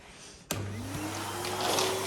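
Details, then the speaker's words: Vacuum cleaner switched on at its low power setting: a thump, then a rising whine that stays soft and thin and sounds underpowered before it is switched to high. "oh that doesn't sound very powerful it's on low let's put it on high"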